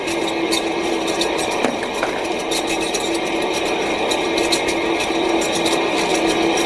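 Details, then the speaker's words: Ceiling fan in Bangladesh being repaired: worn old shaft bearing was making heavy noise, shown by a steady hum with thin ringing and an uneven rattle of clicks. It is being pulled off and replaced with two new bearings, typically 62-series and 6203 types. "দেখুন খুলে গেল পুরাতন bearing fan ব্যাপক শব্দ হচ্ছিল আমরা পুরাতন বেয়ারিংটি পরিবর্তন করে নতুন দুটি বেয়ারিং লাগিয়ে দেব"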